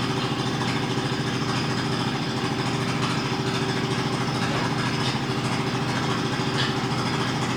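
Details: Mazda RX-8 rotary, hard cranking with no start: steady, labored starter churn with an uneven, rolling beat that never fires. Throttle while cranking changes the tone and bogs it; owner suspects plugs or insufficient fuel.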